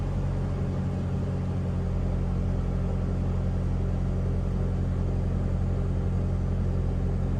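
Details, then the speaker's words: LPG-converted MWB Sprinter, head gasket re-skimmed and sealed about one to two years ago, cold start with low temperature gauge: steady, even low rumble at idle with no knocks or misses. Normal cold idle. "so let's do a cold start let's open the window so you can hear oh see the temperature is low and we'll keep it there for a bit just so you can see it starting up cold"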